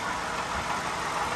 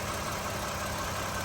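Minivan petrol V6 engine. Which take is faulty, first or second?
first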